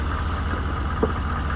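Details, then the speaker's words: Truck just after driving hard through a big puddle, air filter found dry but clogged with dirt: low uneven idle with lumpy stumbling exhaust beat, likely a misfire; owner suspects water got into the engine, unconfirmed. "I just hit the biggest damn puddle and I'm pretty sure I just got water inside my motor. How f***y does that sound?"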